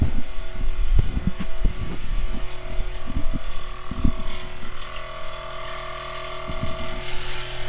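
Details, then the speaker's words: Onboard air compressor for a train horn, frame-mounted on rubber tabs in a Duramax truck, switched on: a few knocks as it kicks on, then a steady, fairly quiet motor hum with an even tone while filling; normal running. "When you flip this switch, that engages the compressor. And the compressor isn't really that loud."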